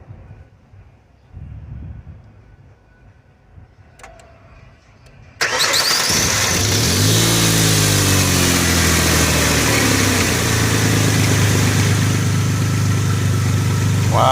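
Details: 2003 Ford Explorer petrol engine cranks and settles into a steady idle after replacing a worn, wiggling engine pulley; the loud startup rattle is gone, though a slight engine rattle may remain.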